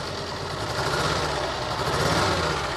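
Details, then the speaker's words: Renault Alpine V6 Turbo (PRV V6), long abandoned, at idle: lumpy, uneven idle with an irregular stumble about four times a second, consistent with a misfire; owner suspects a stuck fuel injector. "मैंने इसे लंबे समय तक अकेला छोड़ दिया और इंजन को चालू करने में कामयाब रहा , लेकिन यह ठीक नहीं लग"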